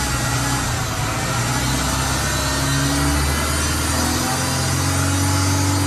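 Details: 1992 Suzuki Sidekick in 4x4 mode: small petrol engine idling and revving with shifting tonal hums underneath; a strange noise is present, source unidentified.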